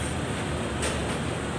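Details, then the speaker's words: Honda Click 125 scooter after all final drive bearings replaced: only a smooth, even hum with no whine, growl or rumble from the rear; final drive now quiet. "ก็จะประกอบเข้าไปแบบนี้นะครับเก็บไว้แล้วนะครับเนี่ยเงียบกริบนะครับ"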